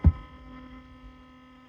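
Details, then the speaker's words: HP2001 brushed DC motor coupling kit on a DC driver module with direction switch and speed potentiometer; after reversing at low speed and ramping up from zero, the motor stalls, giving a steady low electrical hum with faint higher tones and no turning rhythm. "So if I turn the speed all the way down to 0, then if I ramp it up there, it went to move, and then now it's like stalling. And then I don't get why it doesn't start now."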